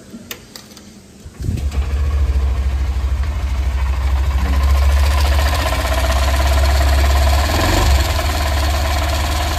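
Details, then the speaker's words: Honda SP 125 BS6 motorcycle starting and idling; steady idle with fast light tick over the engine note; owner unsure whether tappet cover or another source; engine ticking noise. "अपनी SP 125 में एक टिक टिक की आवाज आ रही है वो आपको मैं सुनाता हूं आगे वीडियो में"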